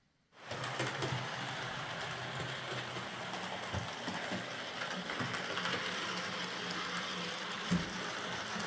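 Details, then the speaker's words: Model locomotive after a wheel setting was reset from 14.7 (which locked the wheels on curves and points) to 14.3, and its bouncing rear pony truck got a stronger spring and a limiting washer: a steady, even whirr with no catching. "So, I swapped the spring with a a stronger one and fitted a washer to the top of the screw that uh limits movement and it seems to have done the trick."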